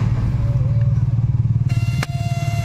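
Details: Volkswagen Polo GT TSI petrol turbo with a noise from under the dashboard, right side, that continues even with the key off: over the low idle rumble a thin steady whine holds its pitch and stops when the BCM connector is unplugged. Faulty body control module whine.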